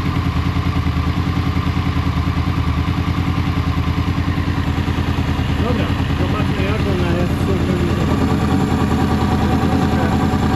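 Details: Honda VFR800 VTEC V4 after timing and valve work, warmed up before throttle body synchronization: uneven, lumpy idle with a hunting beat; throttle bodies badly out of sync, later synchronized and it runs completely differently.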